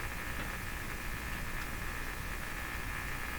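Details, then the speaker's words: Philips PH202 vacuum tube console AM radio, unplayed for a long time, tuned near 860 (French station): steady hiss and static over a low hum with no clear station; reception very poor at the higher bands. "860 French station so reception is very poor at the higher higher bands the higher"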